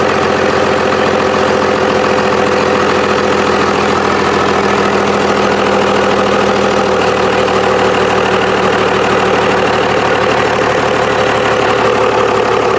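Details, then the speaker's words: Cummins diesel in a long-bed truck just after its first start, shutoff solenoid not hooked up and idle not yet adjusted: steady, even idle clatter with no misses, knocks or roughness; normal idle. "it sounds sounds like the old Kubota I had here on the channel for a while without the turbo on it fired up sounded good"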